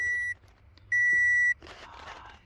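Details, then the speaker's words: Toyota Camry Hybrid (2014 per description, 2012 stated on camera), about 140k miles, no-start: two long steady high-pitched warning beeps, READY flashes twice then disappears; codes P0A80, P0AC0, P0B3D, P0C30; heavy electrical short, fixed by replacing parts. "when i press the start button the ready clicks two times before disappearing"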